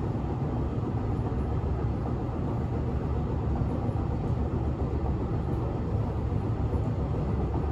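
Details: Berlin S-Bahn class 485 railcar 485 112-7, built 1991, onboard ride Schönfließ–Hohen Neuendorf on S8: heavy constant low rumble and rattle inside the car from a severe wheel flat.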